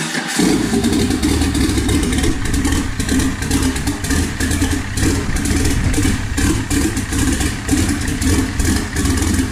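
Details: Jeep 4.6 stroker inline-six with T3/T4 turbo, Ford coils and a Holley Terminator X ECU: catches straight away and settles into a steady, even idle with throttle blips; runs clean and healthy.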